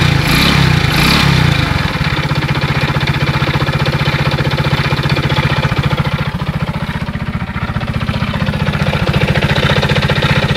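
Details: Alfa Romeo engine, 15,700 km, recorded before full teardown and inspection: steady idle with a dull, regular knock about three per second over the firing beat; engine knock, cause not yet determined.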